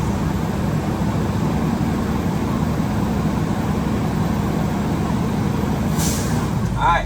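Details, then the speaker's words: Truck diesel at idle during a CDL pre-trip brake test: steady rumble, then a short sharp hiss as the air dryer purges at governor cut-off. This is normal. "right there's my sneeze I'm now like Governor cut off"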